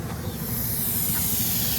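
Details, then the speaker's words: 6-car trailer with brake lines hooked up, ABS light on in cab; steady airy hiss over low rumble, no pulsing; air brake line leaking from behind a weld, owner suspects line burned when plate was welded. "I know exactly where it comes from because it's leaking from behind this weld. I think when they welded this plate onto here, they might have burned the airline."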